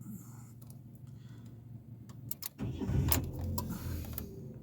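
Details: 2013 Ford Ka with intermittent motorway breakdowns, restarted after clearing a phonic wheel learn fault: keys jingle, short crank, engine catches promptly and settles into a smooth even idle; engine light out, healthy start.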